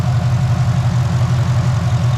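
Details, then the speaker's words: LS-swapped Nissan 350Z, first run after the build and a fuel problem fixed: deep, steady low rumble with an even pulse and no lope or stumble; no more fuel issue, it idles smoothly and revs. "look no more fuel finally sounds good finally looks good it finally revs"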